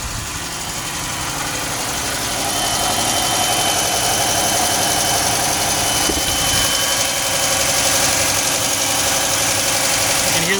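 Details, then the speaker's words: Idling petrol engine: steady light ticking about four beats a second with alternator whistling over the running noise; otherwise runs okay. "can hear the ticking sound. And you can hear the whistling for the alternator. But other than that, runs okay."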